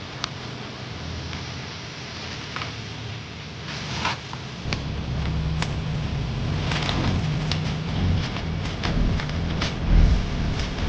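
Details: Mercedes-Benz C-Class C260 M264 engine idle: uneven, lumpy running with irregular sharp pops, a misfire with code P035149, ignition coil 1 internal electrical fault.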